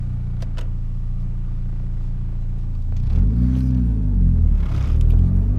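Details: Mitsubishi Evo X with intake, turboback exhaust, FMIC and Grimmspeed 3-port EBCS, air about 58°F: under wide-open throttle in 3rd gear the rumble turns ragged just past 3,000 rpm, also happening in 2nd gear; misfire, cause unconfirmed.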